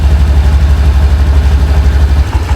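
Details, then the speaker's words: Honda Beat Street at about 30,000 km after DIY oil change (4,000 km overdue), warming up: steady even low putter, no knocks or misses, smooth settled idle, smoother than at first. "Nah, suara mesinnya udah mulai itu ya, halus ya, langsam"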